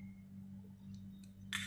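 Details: Two-door refrigerator not cooling while its light stays on, compressor not running: a few light metallic clinks as the old PTC start relay is shaken, loose broken pieces rattling inside; failed PTC relay, fixed by fitting a new one, then the compressor runs.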